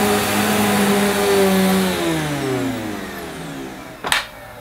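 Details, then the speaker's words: Electrolux Cyclonic Lite bagless upright vacuum (circa 2005, new in box) on its shortest setting, pushed over dirty carpet: a steady hum whose pitch shifts as it moves, brushes audible, then a thump as it stops; it runs normally. "well that sounded a bit different didn't it I could certainly hear the brush this time"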